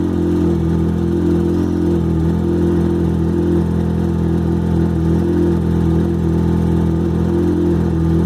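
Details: XJ6 motorcycle engine idling cold: steady low drone with a faint fast "tec tec" tick that diminishes a lot once warm; source of the ticking not identified.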